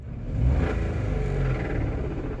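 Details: Hyundai Eon Magna Plus, 1.0 L (1000cc) three-cylinder Kappa engine; quiet at idle, but when revved a rough "cut cut" knocking rises under the rumble, growing with revs; engine knock when revving, lower-end knock suspected.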